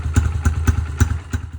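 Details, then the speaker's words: Dirt bike with a rough, lumpy idle, irregular thumps about three a second fading in and out; owner's theory is deteriorated carburetor O-rings leaking air, to be fixed with a cheap carburetor rebuild kit. "And hopefully this will fix that rough idle that we have"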